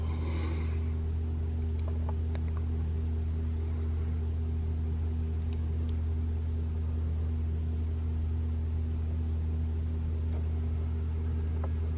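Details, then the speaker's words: 2021 Toyota RAV4 Prime SE in EV mode at 3 a.m., 42°F outside, heater on right after start: steady low heat pump hum with fixed tones, no honking or valve noise, loud startup noise not reproduced; normal. "no it won't make noise anymore man this is the heat pump humming that's normal"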